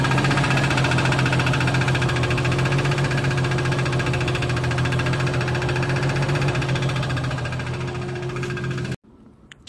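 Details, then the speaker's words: Jeep after driving on deliveries, oil level and temperature fine: loud, fast tapping near four a second over rough running, persisting after restart; owner suspects rod knock or bad bearing, not piston slap; quiet once up to temperature. "after a while it started making a hell of a racket like a really loud tapping noise and it wouldn't stop"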